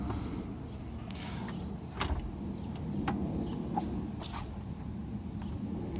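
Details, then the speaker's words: 1999 Mercedes CL500 soft-close door after pump work, door lock actuator still leaking and on order: a low, quiet motor hum for about three seconds with light clicks as the latch pulls in smoothly; soft-close working properly. "see I already worked on the pump so the timing is perfect and do it once more as you can see about three seconds and it goes away"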